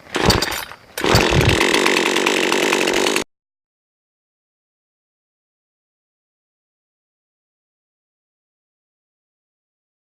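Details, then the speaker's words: Budget chainsaw, cold start: first pull with choke out, then choke pushed in and pulled again; the small two-stroke catches and revs cleanly for about two seconds, then cuts off; healthy start, no misfire. "so it tried to start the first pull so we're gonna depress the choke and then try to start it up all the way"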